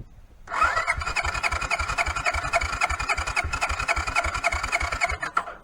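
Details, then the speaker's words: 1983 Honda Big Red 200 ATC with suspected fuel-system fault, cranking with little or no choke; starter churns about three and a half turns a second with no catch, close to firing; CDI also suspected, carburetor to be removed. "I mean it sounds like it was so close to wanting to fire up"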